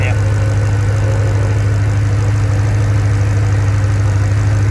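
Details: Land Rover P38 Range Rover V8 idling on LPG after changeover, system long unused: deep even idle with steady low hum, gas injectors click distinctly, no misses or knocks; a light gas smell was noticed, leak not located.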